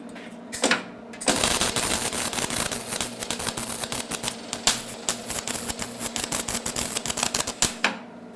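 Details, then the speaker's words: HTP MIG 130 welder on steel with wire speed set too slow: uneven, hissing arc broken by irregular sharp pops as the wire melts into the metal without burning through; heat setting judged about right. "okay on the slow side you can hear that that wire it the metal it's it's it's melting into the metal it kind of goes all the way through but we're not burning through the steel which is good"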